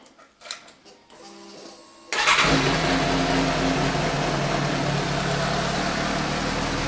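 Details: 2015 Suzuki GSX-S750 inline-four, first start after new OEM NGK CR9EIA-9 iridium plugs at the 7,500-mile interval: a quick crank catches at once and settles into a steady, even idle with no misfire or stumble. Noticeably smoother and crisper than before.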